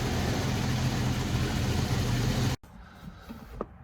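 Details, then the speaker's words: Jeep whose battery had been dead for two months, jump-started with an Audew jump pack: it cranked over like a new battery, then ran with a steady, even rumble, no misses or knocks, before shutting off cleanly. Normal running. "You heard how it whipped that motor over. It whipped it over like it was a brand new battery."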